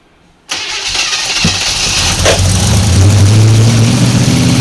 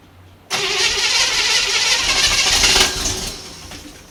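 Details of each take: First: 1955 Chevy 210 Delray with a 265 V8: it catches and settles into an even, deep V8 burble with no knocks or misses, though a slight lifter noise was noted. Healthy normal idle. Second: 1955 Chevy 210 Delray, 265 V8, first start in who knows how long, fuel poured toward the carburetor bowl: it catches and roars briefly, then sags and stumbles. Fuel starvation; the owner thinks the bowl isn't filling properly.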